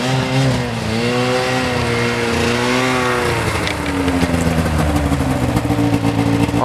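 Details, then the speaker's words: Arctic Cat ZL600 EFI two-stroke snowmobile after fixing a ground and refitting the muffler: revs climb and sag unevenly, dipping mid-pull, with a small backfire. Better but still bogging a little, reportedly improving once warm; not fully fixed. "the verdict it seems it's definitely better it's still bogging a little bit like i was saying orion before um sometimes it's gotta like warm up a little bit and it gets in kind of its own rhythm"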